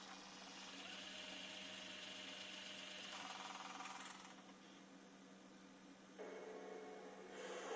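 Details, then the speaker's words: JVC HR-S9500MS VHS recorder (1998) under repair: small motor whirs and shifts pitch in stages as the tape threads, faint hum beneath; the tape loading belt is worn. "Il a courroie de chargement qui est fatigué."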